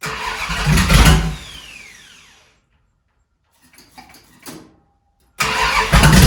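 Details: 1971 Dodge Charger Super Bee 383 Magnum, cold start after valley pan change for suspected intake leak: cranks and catches with loud uneven bursts, dies, roars back roughly, blowing flames; owner suspects it isn't fixed, maybe just cold.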